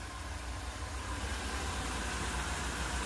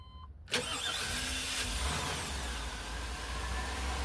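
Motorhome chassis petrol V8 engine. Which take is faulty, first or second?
second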